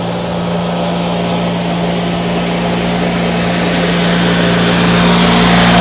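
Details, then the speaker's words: Ford YT16 lawn tractor under restoration, steady, fast, slightly rising drone with no dips, engine revving too high; carburetor issues despite a new carb. "it's not running perfect it's got some carburetor issues right now it's revving quite a bit and that is a new carb"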